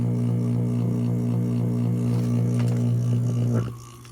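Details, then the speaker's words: Old boiler vent fan motor with a shot, very noisy bearing, after adding motor oil: smooth, steady electric hum with no grinding or squeal; oiling quieted it, though the bearing is probably still worn. "it's just humming along now."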